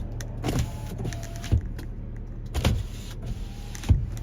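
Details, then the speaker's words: 2018 Ford Ranger 3.2 TDCi 200 Wildtrak automatic, 59k miles, with rear windows tinted: smooth electric motor hum as each window travels, ending in a firm soft thump at the stop; power windows all work normally. "Tinted in the rear. Yeah, they all work spot on as well."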